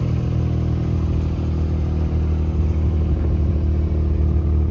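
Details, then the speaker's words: Geo Metro three-cylinder at idle, otherwise running smooth: a deep idle throb louder than expected; owner suspects a performance muffler has been fitted. "and it's a little bit loud louder than I would think and I think maybe somebody's got a performance muffler on it"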